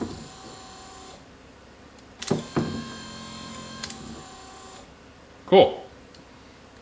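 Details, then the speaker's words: Electric wiper motor from a direct bolt-in 6 or 12 volt kit for a 1947-53 Chevy/GMC truck, bench-tested on a small portable battery: short smooth hum between clicks, stops cleanly in park mode; normal operation. "And it has a park mode. So you turn it on, and whenever you turn it off, it goes back to"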